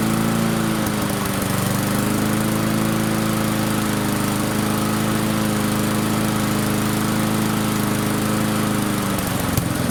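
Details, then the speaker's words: Barn-find Murray push mower, Briggs & Stratton single, on the shop bench after drill cranking: screams at a steady high pitch far above normal speed and does not settle. Overspeed from an incorrect governor spring; fix is unwinding the spring to lengthen it. "See if we can't slow that engine speed down just a little bit. It really wanted to take off on us."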